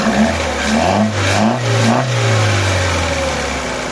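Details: Opel/Vauxhall that had a crank-no-start problem: catches and takes a few quick throttle blips, about two a second, then drops to a smooth steady idle; normal start and idle.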